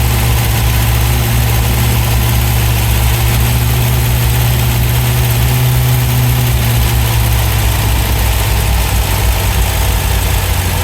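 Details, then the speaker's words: 1971 MGB GT, first fire-up after cleaning debris from the carbs: deep, steady but slightly lumpy idle with faint shake. Much better than before but not smooth; idle tweaked, plugs to be checked. "Sounds a lot better already. Maybe reaching up a little bit, a couple of turns. Certainly a lot better than it was."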